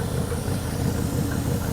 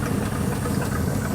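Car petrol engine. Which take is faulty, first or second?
second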